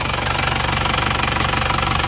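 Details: Diesel car with AD plate after engine overhaul with fuel filter replaced, idling: steady even idle with light regular injector clatter, no misses or stumbles, no exhaust smoke; repair successful, engine healthy.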